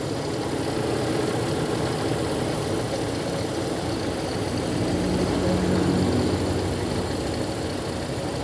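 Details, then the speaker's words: Toyota Kijang Kapsul carbureted engine after idle air screw and ignition adjustment: low, even idle with steady beat and only slight vibration, no misses; all cylinders burning evenly, running smooth. "meskipun kecil dari mesin ini juga getarannya ngertos kiambak perbedaane Nggih kecil tapi getarannya tetap stabil jadi setiap silindernya ini terdapat pembakaran atau bahan bakar yang sama ini sudah halus"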